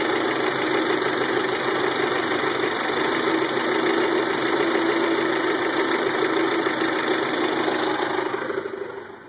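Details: 1992 Toyota Camry 4-cylinder with rebuilt engine: uneven idle that stumbles more and more until it stalls.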